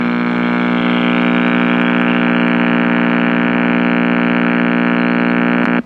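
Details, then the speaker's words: GE H500 AM radio: with a filter capacitor disconnected, a loud, steady low power-supply hum swamps the set until it cuts off; even with that capacitor reconnected (125 volts) some hum remains, and more than the capacitors is wrong. "So with our capacitor there, we got 125 volts, and there's still some hum. You really need all three capacitors, or both two capacitors."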